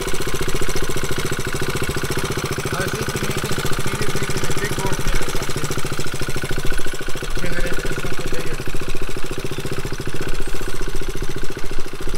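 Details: Motorcycle idling steadily with fast, even clacking on every firing pulse. Suspected damage from the wrong oil: metal chips in the filter, and a flush didn't help. The owner calls the engine done for and will check for chips again after 500 miles.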